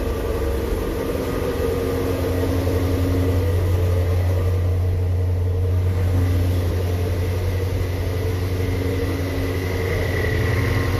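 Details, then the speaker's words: 3,800-mile 2019 Shelby GT350 with new Whipple Gen5 3.0 supercharger, long-tube catless headers, Boundary oil pump gears, in neutral at first start after install: deep even idle, steady low burble with faint whirr, no misses, good oil pressure. Normal idle. "here goes nothing guys wow it started right up good oil pressure thank you"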